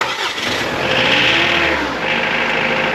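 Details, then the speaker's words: Mitsubishi Pajero Mk2 2.8 4M40 diesel with Bosch Zexel injection pump, after timing advance piston repair, pump advanced slightly for vegetable oil: quick cold start into even diesel clatter at idle, a bit knocky; healthy start. "Not sure how well it'll pick up on camera, but you can hear that diesel clatter as well at idle and also all the way through the rev range."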